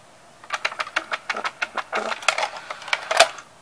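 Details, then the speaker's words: Magnavox CD4000 six-disc cartridge CD changer: a quick run of light, regular clicks, a short whirr, then a final clack as the motor-driven arm opens the cartridge and loads a disc. Normal loading mechanism operation. "there's an arm that opens the more the cartridge slots up and it loads a CD like so and here's the mechanism that controls it"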